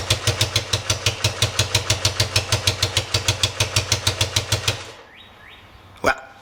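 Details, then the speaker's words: 1973 Honda CB100 single-cylinder after new spark plug fitted, with coil, plug wire and points still to be replaced: pops along at about three beats a second, uneven and rough, then cuts out. "Let's start it up and see what it sounds like. Definitely didn't solve all my problems."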